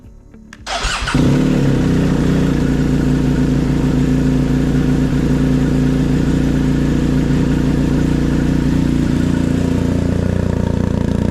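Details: BMW R1250GSA twin started after oil and filter change to circulate oil through the empty new filter: starter catches after a second, then a deep, steady, even twin-cylinder idle; healthy.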